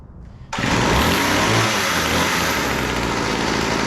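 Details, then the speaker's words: Weed Eater GHT22 hedge trimmer two-stroke, long unused, after carburetor needle adjustment (high-speed needle was too lean, low-speed too rich): catches quickly and settles into a strong, even buzz; running normally. "oh all right that sounds pretty good uh we need a little adjustment on the carburetor"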